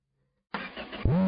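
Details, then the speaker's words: Engine started right away with fuel just added but no exhaust system fitted: a quick crank, then a loud, raw, unmuffled bark. It ran much quieter once the exhaust was installed. "Whoa. Oh, yeah. There's no exhaust. Let's fix that."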